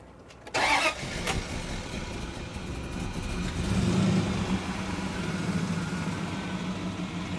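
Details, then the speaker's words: Dodge Durango 4.7 after oil starvation from a pickup tube clogged with carbon crud. Cranks and catches, then a rough, uneven idle with a low drone, audible engine damage; timing suspected off. "really but yeah it's got engine damage though you can hear it yeah and I think the timing yeah you it just tiny and off it"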